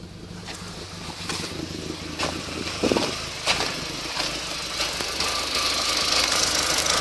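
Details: VW Golf GTI 1.8T: idle is unsteady, with irregular puffs and stumbles every half second or so and the speed hunting; an erratic idle with misfire.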